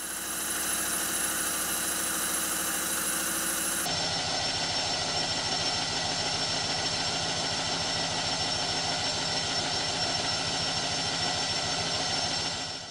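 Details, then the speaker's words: Stuart 7A model steam engine fitted to its steam plant, exhausting to the condenser: quick, even chuff about three beats a second with a steady hiss, a fluid sound when running fast; normal running. "the engine pipes the condenser it makes a really nice fluid sound especially when it's running fast and edited into slow motion"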